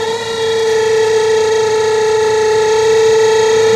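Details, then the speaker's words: Spin dryer spin motor being repaired: a loud, steady high-pitched squeal holding one pitch throughout the spin. The brake was lifted without change, so the dry shaft is being oiled; it will be disassembled if the squeal persists. "Lagyan natin ng mantika ito mga kabuting-ting. Kung hindi pa to, kung hindi ito ano, success or hindi mawawala yung ingay, kailangan natin itong baklasin."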